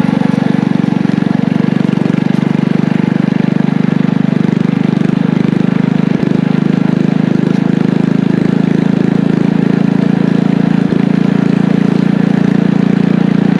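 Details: Engine from an old power washer, with a muffler and a 6.5 HP torque converter clutch, driving a homemade trike: steady, strong low drone holding even pitch under load, no misses or knocks; normal running, picks up well.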